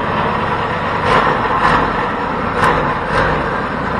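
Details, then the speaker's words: First start of a custom 424cc Predator 212-based inline twin, carburetor needle clip at middle setting, thumb throttle: steady, fast-sounding constant idle; idle is a bit high, builders plan to raise the clip so the needle drops. "you know what i was noticing was that the idol is a bit high so we have we have that needle jet set in the middle so we'll have to raise that"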